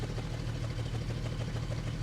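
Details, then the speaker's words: Jaguar XJS V12 started after months sitting, possibly still on choke: steady low idle with a faint uneven exhaust pulse on one bank; one or two plugs on that bank suspected not firing, the other bank smooth. "So, one of the plugs on this bank isn't firing or two, maybe. And I know these are renowned for not firing on all 12, but they should do."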